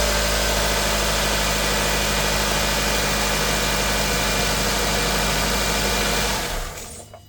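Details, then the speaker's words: 2002-06 Nissan Altima 2.5 after alternator and belt replacement: even, steady idle with no whine or squeal from belt-driven parts, then a clean shutdown; the earlier loud noise is gone. "And there you have it. You see, we started it, no noise."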